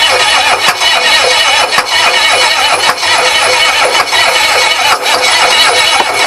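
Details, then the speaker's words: Ford 6.9 IDI diesel on bench test after mild overhaul, new glow plugs and relay, timing suspected poor: starter turns it sluggishly, about one compression beat a second, never firing, starter getting red hot; slow cranking, no start, starter suspected failing. "I know it's not turning fast enough but now that I got the glow plugs I might I figure I might be able to just get it to rock"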